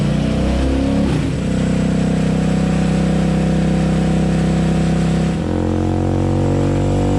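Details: Yamaha Raptor 700 quad on a dyno run after custom tune, new Rossier exhaust and Fuel Customs intake; loud steady drone held at high revs, clean pitch changes as load shifts, single running strong and even. Normal running under load.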